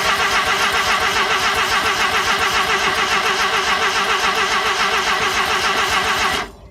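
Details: RX-7 start attempt: even cranking at about 3.5 beats a second for six seconds, never catching. Crank no start; it started the next day and the owner is unsure what changed.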